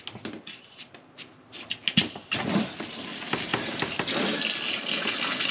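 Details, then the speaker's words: Pressurized heating pipe being cut and capped during a bathroom ensuite plumbing rework: steady hiss and splash of heating water rushing out, easing as system pressure drops; water draining from pipe. "heating water will just come out and it will drop off because the pressure drops out of it"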